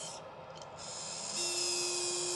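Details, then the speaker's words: Kingroon KP3S Pro 3D printer after a couple of days of printing: a loud, annoying fan noise. It is a hiss turning harsher, with a steady mid buzz and a shrill high whine from the rough-running fan, which was then switched off. "know I'm a little bit of a drama queen when it comes to the fan noise that comes out of these machines, but this one's just terrible."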